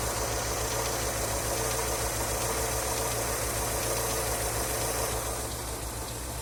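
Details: Engine knocking at idle after an oil change: steady idle with a fairly regular light knock, about three or four per second; cause not yet clear.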